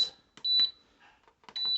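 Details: Ball jam and jelly maker: two short high-pitched beeps a second apart as water-bath mode and a 10-minute time are selected and start is pressed; the control panel is responding normally.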